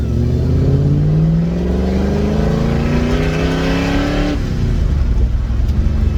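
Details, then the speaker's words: Car with newly fitted drivetrain on a warm day, earlier suspected of detonating while driving; with oil pressure good and ignition timing set, at full throttle under full load the note climbs smoothly with no rattle or ping. Detonation gone, no overheating, running slightly rich. "Definitely not there. Much happier with that. Pretty happy now with how this thing's running."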